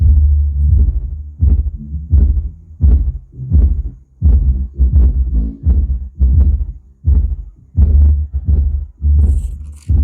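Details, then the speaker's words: Home theatre before repair, music playing with treble, bass and volume set full: only heavy bass thumps and no mid or treble sound. "Only इसमें base की आवाज आ रही इसमें दूसरा कोई sound नहीं आ रहा है"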